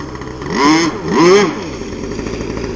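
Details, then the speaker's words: RC gas boat engine, high-speed needle tuning on the water: revs rise on each pass then droop before recovering, a lean high-speed sag; needle turned counterclockwise about 3–4 degrees to richen it. "I don't know if you guys could hear that on the video, but it's sagging a little bit. I'm going to richen it back up."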